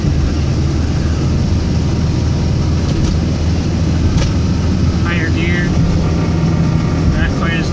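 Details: Saabaru/WRX driving, decelerating in gear with clutch engaged around 2000 rpm in 1st-3rd, above 2700 in 4th-5th: coarse low grinding that stops with clutch in. Cause: loosened flywheel bolts, snapped bearing set screws lodged against crank.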